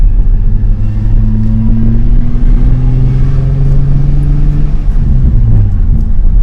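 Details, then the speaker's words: Nissan 350Z after installing a new stock fuel pump, having sat about two weeks with a failed pump: deep steady rumble, slight rise and fall in pitch, no misses or knocks; normal idle. "some more shake engine so far is running good"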